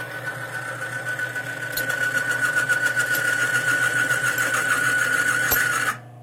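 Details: Timken bearing demonstration machine, dry bearing loaded to about four weights with no oil: steady motor run with loud high squeal around 1.5 kHz and gritty rasp cutting off abruptly as the bearing seizes; dry bearing seizure under load.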